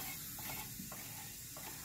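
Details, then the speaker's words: CM VO19 vacuum chamber being vented by turning the knob after the pump is shut off, air rushing back in; steady soft hiss, no whistle or sputter, normal venting. "That means it's letting air back into the chamber. And when it hits 0, you'll be able to open the door."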